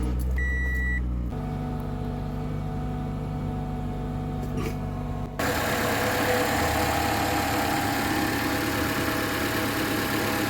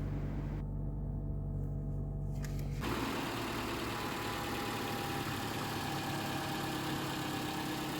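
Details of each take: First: Toyota Camry 2.5 L engine at cold start on Mobil 1 0W20, before switching to 5W30: warning beeps, then fast light valve-train ticking over a steady idle; a Toyota technician says this is common on these engines. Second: Toyota Camry 2.5 L engine starting just after an oil change from Mobil 1 0W20 to 5W30 synthetic on a hot day: catches at once and settles into an even, smooth idle, quieter with less whine and ticking.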